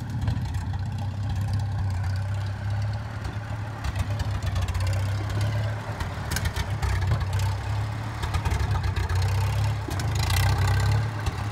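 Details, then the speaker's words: 1954 Farmall Super M tractor, hood off, driven through first and second gears after warm-up. Low, steady drone rising and falling gently with throttle, no clicking or gear whine. Normal running under load. "wow it doesn't even make a noise it doesn't make a noise i've never been on such a new old tractor"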